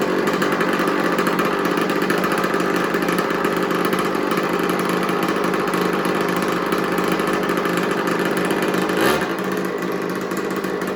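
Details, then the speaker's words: Old made-in-Italy two-stroke 50cc mini MX dirt bike, unknown brand, just revived with the spark plug fitted and gas added; after turning the idle down it buzzes at a fast, steady idle with no misses or surging, running clean and healthy. "all right so I turn the idle down now it runs a little better"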